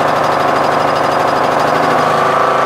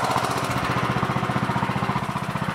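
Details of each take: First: MTD Yard Machines tractor, 20HP Briggs Intek, started on choke with a replacement Nikki carburetor whose mixture screw broke: engine note swells and sags every few seconds, surging lean. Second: Briggs Intek 20 hp single-cylinder on an MTD Yard Machines CVT lawn tractor, running after fitting a third replacement carburetor (earlier ones surged): steady, even beat at constant speed with no surging or hunting; it runs normally with no adjustment needed.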